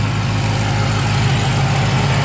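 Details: 2017 BMW M6 F13 idling after GT Haus Meisterschaft GTC exhaust install, factory cats retained; deep even rumble, steady pulse, no puffing, ticking or hiss; healthy idle, no exhaust leaks.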